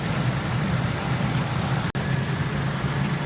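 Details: 2003 Ford F-150 idling with rear defroster, wipers and high beams on as electrical load: steady, even low idle holds smooth; the alternator charges at 14.7 V, so it handles the load normally.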